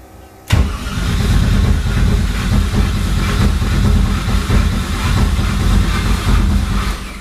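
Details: LS V8 swapped into a Porsche 944, first start attempt after four years, with no fuel pressure because it drains quickly after priming: heavy low churning as it spins over for several seconds without running; cranks but no start.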